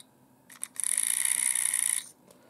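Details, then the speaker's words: Windshield washer pump removed and bench-tested by applying current to its two pins, e.g. a 9-volt battery; even high-pitched buzzing whine with clean start and stop, pump motor spins freely and works normally. "good, it works, I usually measure these parts or I usually check it using a simple 9-volt battery"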